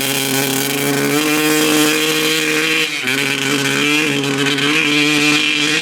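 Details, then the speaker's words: 1995 Honda CR250 two-stroke with stock jetting, needle clip raised one notch to second from top (leaner), power valves confirmed opening: note sags and stumbles around each blip; slightly better but still bogging. "all right it's still doing the same thing basically um it's a little bit better but uh basically doing the same bogging"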